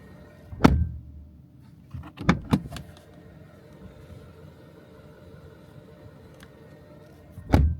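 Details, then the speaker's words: 2025 Mercedes C200 door shut, described as a reassuring tank-like close: three deep, solid, well-damped thuds with a short rattle between; a tight-sealing door closing normally. "When you close it, it feels like you are closing a tank's door. It's something you have to hear in person to understand it, but I'm going to try to recreate it here for you to hear it."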